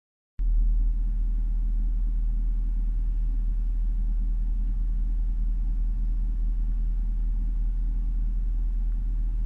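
Deep steady low rumble at warm idle with a slightly uneven pulse underneath; the idle sounds rough, cause not obvious.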